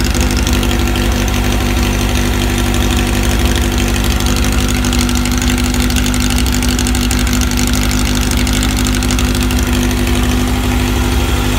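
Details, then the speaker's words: VW air-cooled 1835 flat-four with new 44 carbs and K&N filters, 120 cam, stock rockers, straight-cut gears and Bugpack stinger exhaust: even, deep steady idle with no misfires, ticks or knocks, running healthy. "all right so that's what the motor sounds like with the new cars on"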